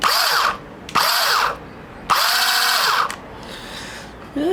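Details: Electric starter motor on a 2-stroke Ryobi line trimmer, with the battery back in: short bursts of high electric whine winding up and dying with no engine firing; owner suspects the motor slips rather than engaging, not confirmed.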